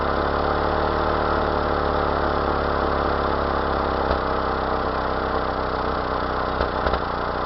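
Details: 1992 Mazda B2600 petrol pickup at idle: uneven beat with occasional stumbles from a misfire of unknown cause.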